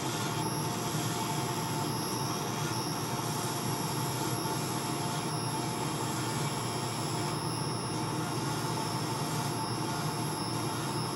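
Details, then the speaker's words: Wood lathe turning a laser-cut bow tie pen blank with a skew: steady high squeal of unchanging pitch over the spinning lathe; owner believes the live center bearings are going out, replacement planned. "I apologize for the squealing noise you're hearing in the background I believe that the bearings are going out in my live Center so we're gonna have to replace that soon"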